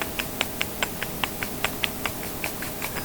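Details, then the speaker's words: YetiSnowMX snowbike jack shaft, sprocket on shaft rocked by hand: crisp light clicks about five a second from spline play between sprocket and jack shaft; this caused the clacking from the rear, new parts should be silent. "That little bit of noise, guys, amplifying in that tunnel made it sound like the thing was going to fall apart on me."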